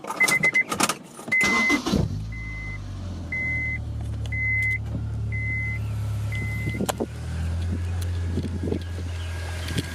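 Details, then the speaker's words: Honda S2000 first start after a self-installed Billman TCT (timing chain tensioner): a few beeps, then it catches and settles into a smooth, even idle with no rattle; sounds healthy. "All right, I think we're good. And so that's basically it. Everything sounds good, nothing's rattling, nothing's breaking."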